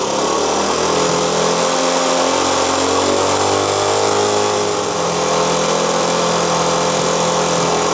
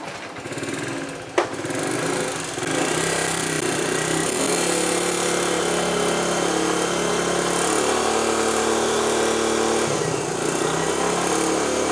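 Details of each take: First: 1973 Honda CT90 single-cylinder idling steady and even after fitting a cleaned, rebuilt vintage OEM carburetor in place of the aftermarket one; only just starting to be adjusted into spec, yet running far better; a fan hums behind. Normal idle. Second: Honda CT90 single-cylinder motorcycle on an aftermarket carburetor, before swapping to a cleaned, rebuilt vintage OEM carb: idle is uneven, beat wandering and surging, and the bike is sluggish on takeoff.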